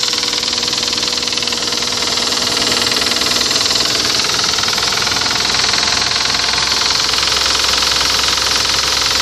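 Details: Toyota 1GZ engine: steady idle with a light, uneven knock ticking through the whole run; knock present, cause not pinned down.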